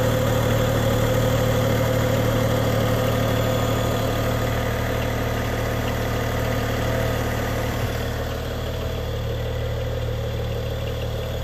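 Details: 2011 BMW E90 335xi at idle, after the throttle body vent valve, breather line and VANOS system were replaced: an even hum with a faint, steady click about three times a second. Source unknown.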